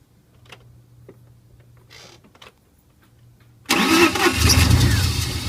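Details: BMW E36 with OBD1 S52 engine swap: quiet until the engine fires at about four seconds, then a lumpy, uneven idle with a wavering low rumble; rough idle, cause unclear.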